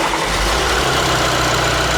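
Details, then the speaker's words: VW Amarok diesel, first start-up after a full engine rebuild, at idle: loud, even, steady low rumble with no knocks or misses; runs smoothly, though vacuum lines to the turbo wastegate aren't letting it boost. "It's alive and it's working, but we have a few issues to deal with."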